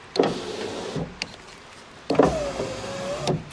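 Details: Ford Ka (first generation) power window: motor runs twice with a dragging groan and strained, wavering tone as the glass moves; window noisy going down and sometimes won't go up; dry, barely greased regulator cable binding in its guide suspected.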